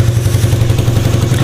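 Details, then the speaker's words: Motorcycle DOHC engine, idling after reassembly following a valve clearance adjustment (0.25 gap, leaking valve) done without changing shims; deep, even thumping idle with no ticks or misses, normal healthy idle. "Oke mau hidup ya Oke motor sudah hidup UD mau langsam normal"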